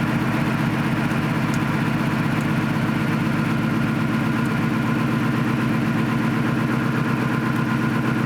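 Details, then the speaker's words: 2018 F150 Coyote engine swapped into a 1965 F250 4x4, at idle: steady uneven pulse about four per second, a dead cylinder whose coil never fires. The coil has power, so the driver signal is suspected. "so we have power to the coil which could mean the driver is bad meaning these are sending the signal to turn it on and off because you can hear if you unplug another one you can hear the engine change"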